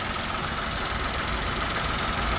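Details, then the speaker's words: Old car idling, bonnet open: steady idle with a dry busy rattle in the engine bay rising and falling with revs; owner says it isn't the brakes, engine otherwise smooth and timing chain looks fine; source not found. "it's just that that rattle the rattle's still there it's a shame because it's a nice engine"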